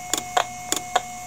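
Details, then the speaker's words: IBM "DeathStar" hard drive heard through an electromagnetic pickup coil, failing to load firmware after spin-up: paired sharp ticks about every 0.6 s over faint hum as heads retract to stops and retry, motor dipping and recovering; dead drive. "so that's the heads moving back to the position back to the stops and then trying again"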